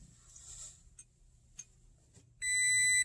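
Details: 2016 Toyota Tacoma push-button start: a few faint clicks, then one sharp steady high beep of about half a second as the key fob is not detected; doors won't unlock and the truck won't start, traced to a dead key fob battery.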